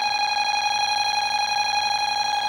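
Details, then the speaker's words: Bosch B9512G security panel armed, pull station tripped on 10-second entry delay, then every enabled zone set off; continuous steady high-pitched electronic tone: burglar alarm sounding. "Okay, I was going to go into arm And as you can see, it's an alarm. Now, let's set off all the other alarms that I have set up so far."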